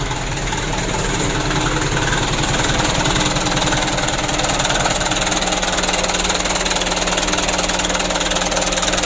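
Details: Mitsubishi Canter diesel after injection pump plunger replacement and pump adjustment: steady even clatter at about 600 rpm, regular firing, no misses or stray knocks. Normal diesel idle, repair completed.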